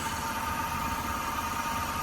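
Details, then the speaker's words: BMW E28 idling after MAF and vacuum lines reconnected: steady, even idle with faint high whistle over engine hum, no misses; slight hesitation, throttle possibly set high. "Sounds good too. Got a little hesitation. Throttle may be a little high because I adjusted it so that we could get it started and idle, but it runs."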